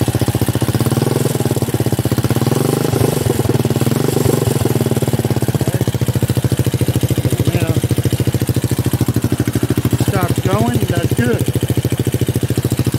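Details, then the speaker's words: Buggy build engine, long unused: loud steady pulse with occasional stumbles, uneven lumpy idle; rough running, owner suspects low oil and long disuse, not confirmed. "and it's not quite acting the way it's supposed to because she's low in oil so once I get oil in there things should start loosening up this thing hadn't ran in a good while I could tell just by the way it's behaving"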